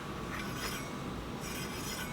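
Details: Heybike Ranger/Mars e-bike front disc brake: faint swishing rub about once a second as the wheel spins, caused by the caliper not trued to the rotor; fixed by adjusting and backing off about 1/8 turn.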